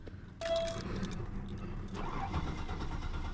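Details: 1998 Buick LeSabre with a VATS resistor key; starting fluid did not help: the starter turns the engine over evenly with a dull rumble, but it never catches, a crank with no start.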